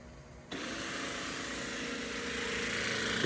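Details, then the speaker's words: Ecovacs Deebot X2 Omni at its lowest power, side brush and mop pads removed: a harsh, loud, rough whirring drone whenever the main brush motor runs. A replacement brush is equally loud, so the brush itself is not the cause. "even with the Dr new uh brush in there it gets pretty loud again so it's not the brush itself that's causing it"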